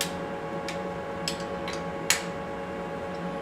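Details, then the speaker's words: Lathe boring bar at short overhang tapped, giving a short dull ring that dies at once; rigid setup, tone rises higher-pitched as overhang extends to 4:1 and 5:1 toward chatter; rigid boring bar setup. "okay so if you listen to how this sounds you hear how that sounds nice and rigid"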